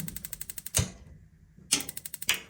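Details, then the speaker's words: Gas instant geyser starting normally: fast even igniter spark ticking with louder single clacks from the gas valve opening; no clack would mean a faulty gas valve. "ये जो टक का आवाज है ये ये वाला जो गैस वाल है इसका आवाज है तो इस सेंसर को ठीक होने के बाद यह टिक टिक का आवाज और ये बड़ा टक का आवाज करना चाहिए"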